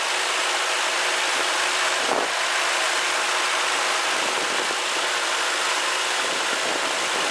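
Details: Ford Crown Victoria after spraying belt dressing on a squealing serpentine belt: steady, even idle with a smooth hum and no belt squeal or chirp; belt drive quiet and normal, a short-term fix.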